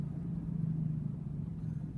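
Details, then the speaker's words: 2006 Chevy Uplander driving about 40 km/h: low droning hum and grinding over road rumble, worse turning left, nearly gone turning right; bad passenger-side front wheel bearing, replaced. "e got an issue with my front wheel bearing I believe it's from the passenger side now I'm not sure if you can hear in the video but there's a grinding noise and what I found is that when I turn the left it actually gets worse when I turn right it gets better"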